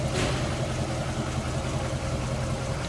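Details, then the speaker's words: 1948 Buick Roadmaster Convertible, Fireball straight-eight 320 cubic inch engine rebuilt in 2004 with a little over 10,000 miles since, heard with the hood open: low, even idle rumble with a soft steady beat and no knocks or ticks, running smoothly. "Now there's that Fireball inline 8 or straight 8, 320 cubic inches, and smooth running."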